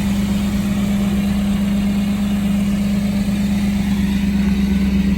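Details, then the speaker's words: 1992 Chevrolet Camaro RS, Chevy 305 V8 with 700R4 automatic, a junkyard car restarted after months of sitting; engine holds a steady, fast idle with a constant drone that never settles, idle set too high, not revved. "it was like it's been so freakin long it's idling really high but it's alright"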